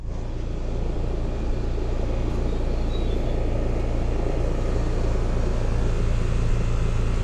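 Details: Home AC outdoor unit after leak check, during refrigerant recharge, variable speed air handler: steady low hum with even compressor drone and fan rush, no rattles or surging; running normally.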